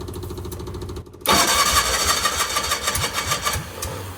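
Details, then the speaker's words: Cushman mini mail delivery van, sat about 30 years, fuel tube full of rust and dirt: starter cranks, then ragged uneven firing for a couple of seconds before fading; needle and seat suspected stuck, later flooded; fires but won't keep running. "Stay running. I don't want to get the starter too hot."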